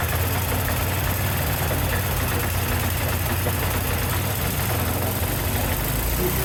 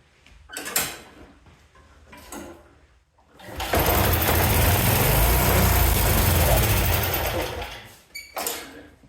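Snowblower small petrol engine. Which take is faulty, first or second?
second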